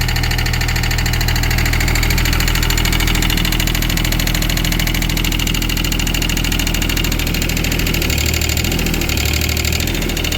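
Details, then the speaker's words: Wacker Neuson 803 / Cat 300.9 mini excavator diesel, bought as-is, glow plugs suspected: steady idle with hard rattly knock, slightly uneven beat, barely smoking; owner calls it fuel knock, unsure if normal or one cylinder not firing. "I don't know if that's normal or not for it to sound that with that knock like that. I mean, I know it's fuel knock, but I don't know if it's supposed to be that noisy or if maybe one of the cylinders is not firing."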